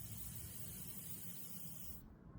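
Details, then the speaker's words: HVAC line set after a decay test. A steady hiss of refrigerant from the loosened valve core stops abruptly when closed, a controlled purge of air from the line set before reinstalling the core. "That's the ref. That's the refrigerant. We let out any air now in that section is gone now."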